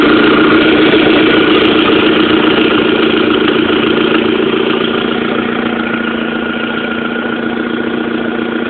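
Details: Fast, regular tick of about 214 a minute over a steady idle on a 1.8T engine; owner is pretty sure it is an exhaust manifold leak.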